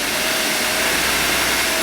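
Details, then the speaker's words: Uber pneumatic belt grinder with 8-inch contact wheel, 3400 RPM 1.5 hp motor on VFD controller in NEMA 4 enclosure, running at speed: steady even quiet whir with faint constant tone, no knocks or rubbing; normal. "so that now this is running right now you can hear how quiet it is um we uh use a vfd drive and a Neema for enclosure"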